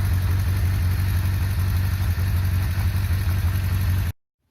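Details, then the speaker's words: Yamaha 600 Diversion at idle: loose, slapping rattle under the exhaust pulse from the primary chain, which has no tensioner and a fair amount of play, so this engine is normally noisy; valve clearance also due, ticks loudly when cold. "Là, si vous voulez, quand on le démarre, on entend la chaîne primaire, donc c'est une chaîne qui bat comme ça, si je vous dis pas de bêtises, elle n'a pas de tendeur, elle a pas de tendeur. Donc voilà, donc c'est une chaîne avec un petit peu de jeu, enfin même pas mal de jeu, donc automatiquement c'est bruyant."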